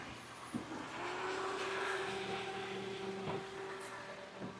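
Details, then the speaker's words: Toyota Corolla at idle after belt tensioner replacement, second startup: smooth, quiet idle with a steady faint hum and no chirp or squeal; the new tensioner was noisy at first, possibly settling in, and the belt drive now sounds normal. "All right, maybe the new belt was the new tensioner was settling in and it was making noise before, but on this second startup, it's not making noise now, so that sounds like a good thing."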